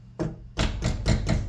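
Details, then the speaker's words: 2023 Chevrolet Camaro SS door during sound-deadening install, outer skin not yet treated: sharp taps each followed by a brief tinny metallic buzz; outer panel still resonates and rattles, needs CLD damping. "We still have stuff that's making a rattling sound when we hit on it. And you know, that's essentially, I can hear, there's like a metal resonant sound."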